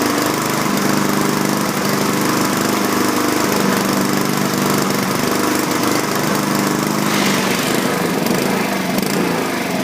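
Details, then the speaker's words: 2012 Honda HRR2169VYA mower, 161cc, contaminated fuel, stuck-open intake valve freed, blade engaged: steady drone, no hunting or misses; runs smoother under load, though self-propel rear drive does not engage. "okay it seems to be running better under a load i engaged the blade to see what it would do it seemed to smooth out"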